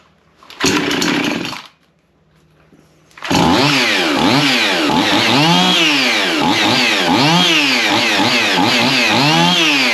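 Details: Chainsaw after spark plug cleaning: fires after a quiet pause, then revs in quick, even blips about once a second; crisp, steady, healthy running.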